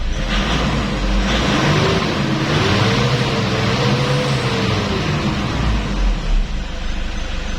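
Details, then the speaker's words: 2004 Toyota Innova 2KD-FTV D4D diesel, knocking with codes P1229 and P0088 from rail overpressure (160,000 vs normal 28,000–31,000 at idle) blamed on SCV: after fix, revs climb smoothly with no knock; normal revving. "Oke, aman, suara knocking hilang. Coba kita gas."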